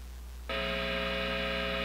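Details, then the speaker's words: Positive Grid Spark 40 amp with single-coil pickup guitar, compressor, reverb and noise gate turned off: steady, even buzzing hum with no playing, thought to be 60-cycle hum picked up by the single coil; cause not confirmed. "So you can hear a noticeable amount of what I would consider to be 60 cycle hum. I can't say exactly if that's what's going on, but I assume that since this is a regular amplifier, it's picking up the microphonic hum that happens from a single coil pickup."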